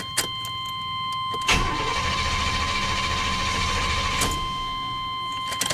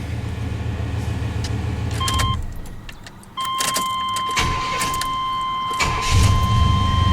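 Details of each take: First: 1993 Chevy Silverado with hard-starting issues, old fuel pump relay reinstalled. Starter cranks steadily about three seconds with no firing. Owner suspects the PCM; the new relay was later found bad. Crank, no start. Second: 1993 Chevy Silverado with hard-starting issues, fuel pump relay socket jumpered (orange to gray wire) so the pump runs. A brief crank, immediate catch and an even idle over a door chime. Normal start and idle.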